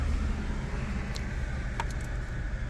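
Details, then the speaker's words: 2012 Fiat 500 Lounge that had a misfire and slight idle hunting, at idle after four new spark plugs fitted and no error codes found: steady, even rumble without stumbles; idle no longer hunting, normal. "It's definitely not hunting on there, which it was slightly."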